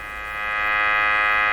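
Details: Canadian Westinghouse Model 684 radio during sweep-generator testing of its IF bypass: a steady, buzzy tone with a bright edge through the speaker as the sweep crosses the tuned band; the IF path passes signal.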